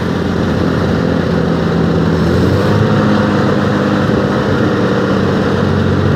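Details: Torino TS 1975 after tune-up: steady, even engine drone with no knocks or misses, smooth and healthy; normal running.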